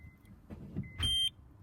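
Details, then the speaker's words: Aftermarket parking sensors newly installed on a Honda Civic MK8, tested in reverse: short high beeps over a quiet idle that grow louder as an object gets closer, then a steady tone, working normally. "you can hear you could hear the beeping of the parking sensor so it's all plugged in you can hear it peeping and as you get closer to it you can hear it get louder around here you can hear it beeping as i get proper clothes"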